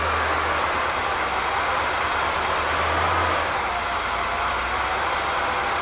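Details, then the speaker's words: Freshly rebuilt 1964 Pontiac 389 V8, warmish, choke fully off, about 90 degrees out, idle screw turned up, fuel pump on, 65 psi oil pressure: loud idle wavers and sags instead of holding steady, unstable idle. "i've been jacking on the idol but you just don't want to do it"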